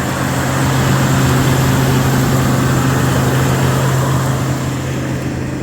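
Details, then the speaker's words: Carbureted Ford pickup V8, first start after sitting a while on stale gas, new Group 31 battery, electric choke working: steady low idle rumble with no knocks or misses, a little smoke; normal quiet idle. "Electric choke works and everything. Got a little bit of smoke coming out, but it's been sitting a while. Nice and quiet."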